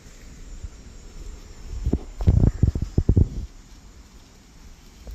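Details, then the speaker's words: Hydrophone on the ground over a buried pool pipe: a muffled low rumble, then gurgling bubble bursts as water pushed one way meets compressed air pushed back and escapes through the leak. "So now we're going to actually listen for the hissing, the bubbles coming up through the plumbing with the hydrophone."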